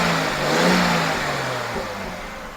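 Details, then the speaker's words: Aston Martin DBS resto-mod, engine first running (startup somewhat reluctant, startup map likely needs a tweak): a single clean rev blip that rises smoothly and settles evenly, no misses or rattles. Normal rev. "But now we're running. We're running smoothly and running well."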